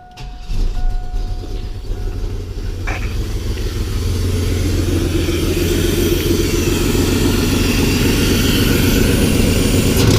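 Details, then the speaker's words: 2000 Chevy S10 V6 first start after fuel pump replacement and injectors reinstalled, air filter off: starts fast, steady deep even idle, no knocks or misses; charging with good oil pressure. "V6 power, baby. It runs, it's charging, has good oil pressure."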